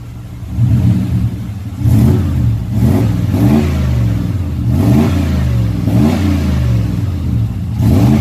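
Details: Pickup truck ("Black Pearl") after a throttle body injection conversion, warmed up: quick, clean revs up and back down with a deep, even exhaust note and no misses; sounds healthy.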